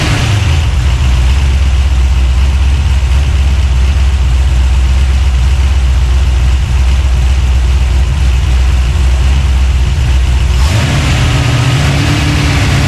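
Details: 383 stroker small-block V8, freshly built and swapped into a 1970 Monte Carlo, at first fire-up in the car: deep, even rumble holds steady, then picks up cleanly as the throttle opens; normal free revving.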